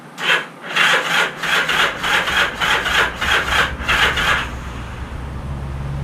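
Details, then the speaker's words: Motorcycle that hasn't run in 35 years, on electric starter with clutch pulled and ignition in run: turns over but cranking is slow and uneven, chugging about two beats per second; cause unconfirmed, battery on charger, spark check next. "Seems to turn over alright. Start seems like it's kind of chugging a little bit."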